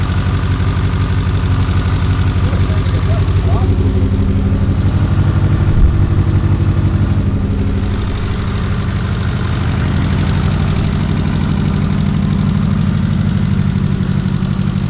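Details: Mitsubishi Evo built to 700 hp, first start after rebuild, oil smoke burning off: uneven, lumpy idle with a deep loping beat about three times a second, one cylinder dead from an unplugged injector causing a misfire.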